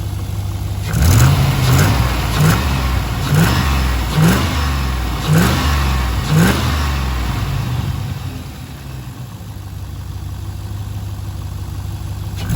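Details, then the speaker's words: Rebuilt V8, about 3000 km after rebuild, after lifter preload fix, warm: blips up and settles to steady even idle with no ticking or knocking; earlier noise gone though a slight misfire remains. "not bad once it's warm like I said she's good as gold"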